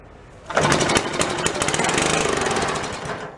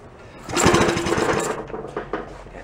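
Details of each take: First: $5 antique Briggs & Stratton single-cylinder, spark and compression restored, rope-started on a little fuel poured in before the carb clean: rapid, even popping for about two and a half seconds before it dies out; it's a runner. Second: Antique Briggs small engine, rope-start attempt after carb and gas tank work, choke open: about a second of quick chattering cranking that dies without catching; raw fuel pouring from carb bottom, tapping the bowl stopped it; flooded engine won't fire.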